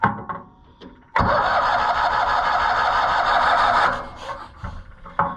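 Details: Cushman Truckster auction find: nearly three seconds of cranking with an airy hiss over uneven churn and no firing; possible compression leak, ignition wiring also suspected, cause unconfirmed.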